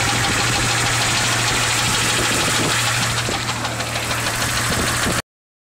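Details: 1996 Jeep XJ Cherokee 4.0L I6, 200k miles: steady rapid knock about three per second, even at idle, loudest near rear driver's side. It grew loud the day after adding Valve Medic and Lucas oil stabilizer. No power loss; mechanics ruled out an exhaust leak. Engine knock.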